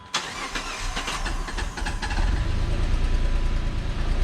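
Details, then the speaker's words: 2006 Chrysler 300 with suspected blown head gasket, after new coil pack and Blue Devil sealer: catches and settles into a lumpy, uneven idle with a stumbling beat, still missing on a cylinder but not smoking; cause unconfirmed. "but it still sounds like crap oh it still sounds like it's missing it ain't smoking"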